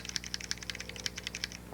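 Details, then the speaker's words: Xbox 360 controller after silicone lubricant on the trigger springs: rapid light plastic clicks with no squeak, triggers now quiet. "That looks okay. Yep, those are good now."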